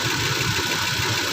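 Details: 2010 Toyota Land Cruiser after fixing a no-ignition, no-crank, no-start security fault tied to a fuse and water ingress: steady, even idle with a smooth low rumble, no knocks or misses; running normally.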